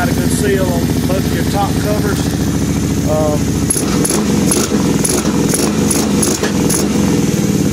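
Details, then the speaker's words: 2006 Kawasaki Brute Force 750 V-twin just after carburetor cleaning and refit, started with dry carbs, airbox off: brisk, fairly steady idle with a slight stumble midway, slightly cutting back; engine running fine. "I'm gonna see if we can get it to fire up here it usually turns over for a little bit because the carburetors are dry naturally"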